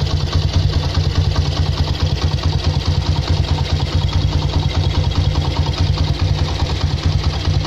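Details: Honda CB motorcycle brought in for a rattling top end, with cam chain tension fixed without new parts: steady even idle thump with no rattle or ticking from the top end; running healthy.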